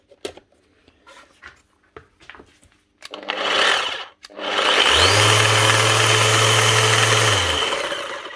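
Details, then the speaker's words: Makita BO6050 random orbit sander: harsh rough grinding with a droning hum instead of a smooth whir on spin-up; gearbox gear teeth smashed, commonly from repeated pad impacts on workpiece edges. "Something going on in there. Sounds like the gears getting chewed or something."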